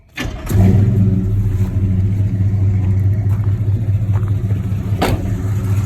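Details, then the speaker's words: Chevy C10 with a newly installed small block Chevy V8, warm start, heard from the rear; quick crank, catches cleanly into a deep even idle with loud exhaust, no knocks, plenty of oil pressure; owner plans Flowmaster 40 mufflers to quiet it. "I don't like having a high out vehicle, but it sounds good back here. Sounds real good back here, a little louder than I want"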